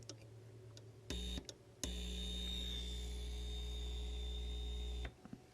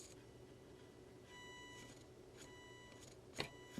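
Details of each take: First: JAT801 audio amplifier on first power-up at low voltage and current, without heat sink and drawing rising current: steady low mains hum with a buzzy edge when the input is touched, dropping away after; the amp is amplifying. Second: JAT801 audio amplifier on first power-up: a thin buzz cuts in and out over a quiet room as a headlight shines on an exposed LED, light altering current in the differential input stage.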